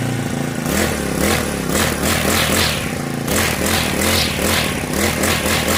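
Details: Honda GX35 brush cutter after a valve tappet clearance adjustment and clutch replacement. It revs up and settles cleanly to an even buzzing note with none of the earlier metallic ticking: normal running.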